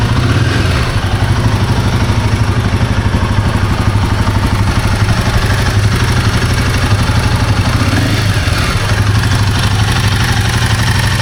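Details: Royal Enfield Himalayan 450 Sherpa single-cylinder engine idling, light fast metallic clatter over the low thump: timing chain noise.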